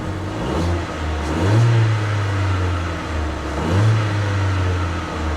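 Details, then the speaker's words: Ford Fiesta at salvage auction: two clean throttle blips, revs rise smoothly and fall back to an even idle with no knocks, rattles or misfire; normal revving. "engine sounds healthy sounds good guys really does"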